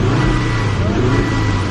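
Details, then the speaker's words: Volvo engine revved under throttle: rough stumbling sputter down low, then loud backfiring as rpm climbs, with something splattering from the exhaust; misfire suspected, cause unknown. "it's weird whenever I give it gas it kind of sputters down low and then whenever it climbs up in the RPMs it backfires really bad"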